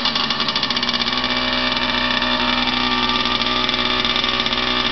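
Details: Unidentified vintage 50cc two-stroke trials minibike, just bought and got running, exhaust routed through the frame: crisp rapid buzz holding an even pace for several seconds during startup test; idling cleanly.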